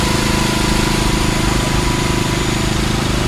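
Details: Subaru Outback after starter replacement (factory 1.2 kW 23300AA710 swapped for 1.4 kW 23300AA570) to cure grinding on start; first start after throttle relearn: engine catches quickly, steady even idle, no starter grinding; normal start and idle.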